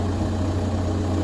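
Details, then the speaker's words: VW Golf Plus 1.9 TDI 90bhp 5-speed manual diesel, just started after fuel filter and fuel pump replacement, glow plugs not working: steady, even low idle with no hunting, misses or cutting out; runs cleanly. "car started no problem at all"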